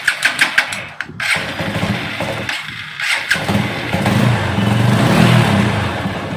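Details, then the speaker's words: TVS bike, self-start acts as if out of petrol; wiring harness found already chafed and damaged: quick starter clicks, then hesitant stumbling catch that fades and surges; starting trouble from damaged wiring harness. "இந்த மாதிரியான self போடுறப்ப பார்த்திங்கன்னா வண்டி வந்து petrol இல்லாத மாதிரியே ஒரு அதாவது ஒரு சென்சேஷன் இருந்துச்சு. ஸோ அதுக்கு இதில் என்ன ப்ராப்ளம்ன்ட்டு பார்த்தோம்னா, வயரிங்லாம் ஆல்ரெடி கண்டாம்னு கொதறி தான் வச்சுருக்காங்க நம்மகிட்ட வண்டி வந்தப்பே."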